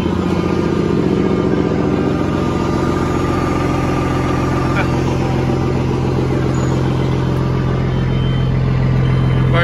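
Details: Truck diesel cold start after an Espar hydronic heater warmed the coolant: steady, even idle with a smooth rhythm and no misses or knocks, a healthy engine starting easily.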